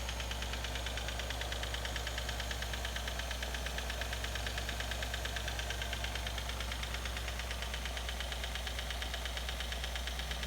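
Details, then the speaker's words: Nissan/Infiniti 3.5 or 3.7L at idle: fast, loose metallic rattle over a steady idle, typically loudest cold and fading as it warms; timing chain rattle at cold start suspected, not confirmed. "so that's the timing chain rattle so the timing chain rattle typically when it first starts on the Nissan engines it will happen mostly when the engines cold as it warms up it'll start to to go away"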